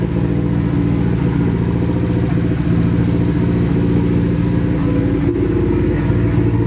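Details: Nissan 240 with a newly installed SR20, at its first start. It runs through an open downpipe on the original old gas. The exhaust is loud and raspy, with an uneven, lumpy beat that stumbles as the revs change. Misfire; owner suspects bad gas, but the cause is unconfirmed.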